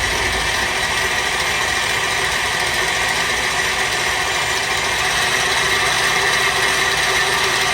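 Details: KitchenAid mixer after teardown, reassembly and gear/speed plate screw adjustment, running through every speed: steady, even motor whir with light gear hum, no grinding or knocking; runs normally.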